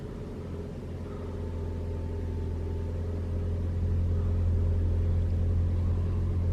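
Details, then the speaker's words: 2021 Toyota RAV4 Prime SE cold start in hybrid mode, about 49°F, climate auto with AC off: low, even engine drone building gently with no whine or moan; no heat pump noise, normal running. "It looks like it's not making the sound at all."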